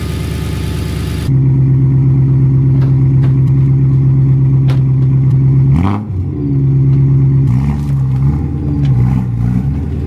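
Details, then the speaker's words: BMW E92 M3 revived after sitting for years, cruising: a steady, odd-pitched hum from the engine area holds over the engine note and dips with throttle changes; source unclear, and it faded the more the car was driven. "now occasionally like the instance here you can still hear that kind of weird pitched humming coming from the engine or somewhere it works but it seemed the more I drive it the more it went away"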